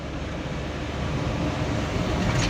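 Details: Mitsubishi Fuso Canter Euro 4 SHDX truck on a test drive: steady low diesel drone climbing gently under throttle, without the fan-like droning hum on top; sounds healthy.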